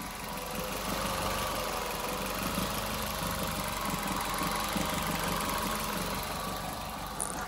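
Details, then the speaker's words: 2019 Maruti Suzuki Baleno petrol, revving: steady engine note with a light metallic rattle that grows as rpm rises; owner complains of the noise, told the exhaust may be the cause, unconfirmed. "जैसे ही race देते हैं तो उसके ऊपर जो है जैसे RPM ज्यादा जाते हैं ये जो साउंड है ये ज्यादा जो बार्बर का जो साउंड है वो ज्यादा आने ग जाता है"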